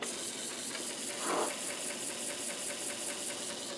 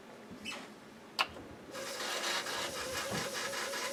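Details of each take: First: Commodore 1571 floppy drive loading the Flank Speed disc. Quick, even ticking at about five clicks a second over a soft hiss as the head steps and reads; it reaches ready, confirming the heads are good. Normal loading. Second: Commodore 1571 floppy drive reading a disc of unknown origin. A thin, steady high squeal holds under the soft ticking and whirr for the whole run; source unclear.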